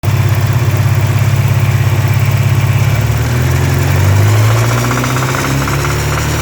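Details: 1984 Porsche 944 2.5L SOHC inline-four, supposedly recently rebuilt: deep regular knock low in the engine, absent when cold, loudest 2000-3000 rpm, stops with #3 plug wire off; no piston play, plugs gapped, 110 octane; lifter versus rod knock suspected.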